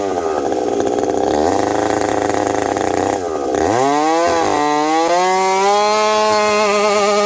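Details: Husqvarna 372XP chainsaw fitted with a new bolt-on UFO pipe, warmed up at about -30 to -40 °C, cutting frozen ash: bogs into the cut then climbs to a steady high scream with slight burbling four-stroke; healthy, slightly rich, could be leaned more.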